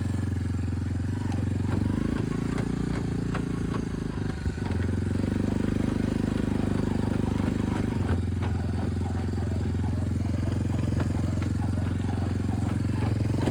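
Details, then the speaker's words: Lifted Big Red after 3 years of weekly hard mudding, test ride: uneven clicks and clacks over the rolling engine drone from worn bearings and a failing U-joint, which then snapped; all bearings and U-joint to be replaced. "Well, here it sits. It's broken. We got a snapped U-joint."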